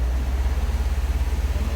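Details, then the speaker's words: 2017 Subaru STI Limited, about 3,900 miles, revving with the AC off, giving a deep, even rumble with no whine; with the AC on, a new high-pitched whine appears, noticeable when accelerating. "So this is revving with no AC on."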